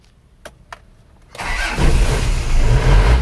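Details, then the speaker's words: 1997 Isuzu Panther diesel with high oil consumption, crankcase breather routed to open air, started before repair: light clicks, catches within a second, steady even idle; vibration not harsh, compression turned out still good. "getarannya sampai body mungkin hanyalah pangkon mesinnya ini lihat tidak begitu ngasar Sebenarnya ya Jadi tidak begitu kasar sebenarnya"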